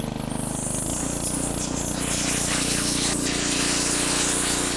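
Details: Log splitter small engine after carburetor jets cleaned again and throttle cable reconnected, throttle turned up: steady even putter with no misses, surges or knocks; running cleanly at raised throttle.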